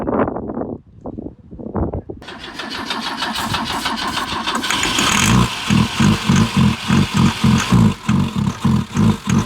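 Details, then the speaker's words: BMW with M10 engine after 1.5 years not running, after extended cranking and starter fluid suggested: engine catches and runs rough with heavy uneven thumps about three a second; knocking noted, cause unknown. "Smells good, dude. It's knocking."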